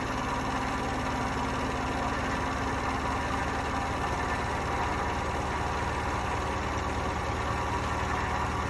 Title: Hotpoint bad bearings ramp up to 1200 rpm